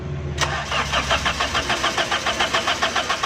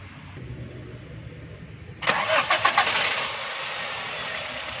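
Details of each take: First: Crank no-start on a 2008 Toyota Corolla running on petrol, with ignition coil removed to test: the starter cranks steadily but the engine never catches and there is no spark at the plug; crank sensor wire suspected. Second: 2008 Toyota Corolla after repairing a broken crank sensor wire (it had no current to the plugs and would not start): short crank, then it catches at once and settles into a steady, smooth idle; normal start.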